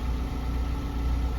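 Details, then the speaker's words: Chinese petrol vehicle that wouldn't start, running again after the fuel pump socket was plugged in: even low-pitched idle with no stumbling; normal idle. "Yung socket dito mga kaabi sinalpak natin dito. Pinaandar natin. Umandar yung motor."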